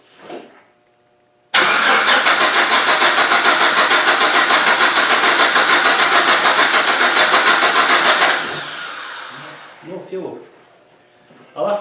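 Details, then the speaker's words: GM Vortec engine project, petrol, crank with no fuel delivery: steady fast starter churning, about three beats a second, for seven seconds with no catch; traced to a missing fuel pump ground, fixed with a temporary ground. "get to the bottom of this and see where there's no fuel not the ground off the tax I'm going to make that permanent ground that was a quick fix"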